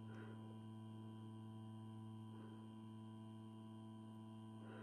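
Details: 160 W regulated bench power supply, mains transformer with XL4016 module, 220 V input: transformer hums slightly, steady even low mains hum unchanged as output is raised toward 34 V maximum; normal transformer hum.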